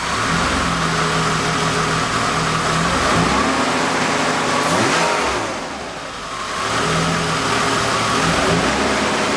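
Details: Mercedes 190 just completed with a CIS M104.980 engine swap, first run: strong even running with clean rises and falls in revs, no knocks or misses; normal start and rev.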